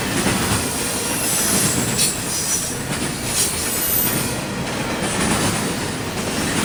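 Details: CSX intermodal train passing in Georgia: a steady, high, shrill screech rides over the rumble and rail clatter as the cars roll past; wheel squeal.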